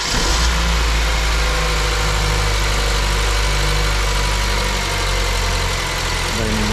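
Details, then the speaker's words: Honda with the second cylinder not firing, run after the injectors were swapped and checked: a lumpy, uneven idle with one cylinder dropping its beat against a steady low drone; the misfire on cylinder two remains, and low compression is suspected. "Nadal mamy problem z zapłonem na drugim cylindrze."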